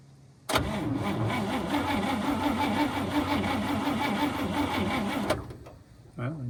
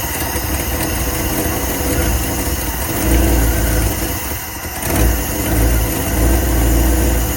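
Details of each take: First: 1954 Cadillac V8, 12-volt, battery borrowed, gas poured in, possibly flooded: slow even starter churn about three turns a second for five seconds, never catching; cranks but won't start, suspected no spark from damaged spark plug wires. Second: 1954 Cadillac long unrun, battery borrowed from a 59, cranks then fires and settles into a steady even low rumble as the fuel filter fills; carb likely flooded on the first attempt with a pump can.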